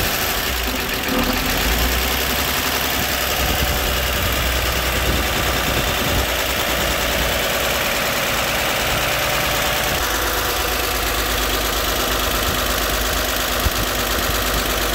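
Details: 1960 Grumman Olson Kurbside step van 235 six, first run since 1992, cold (about 30s °F): steady, even idle, no knocks or misses, just a faint rattle from the unbolted valve cover; runs healthy, owner sees no issues.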